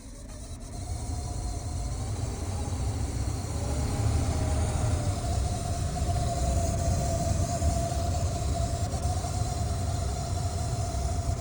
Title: 2013 Chrysler 300 Turn heat on and makes this noise HELP!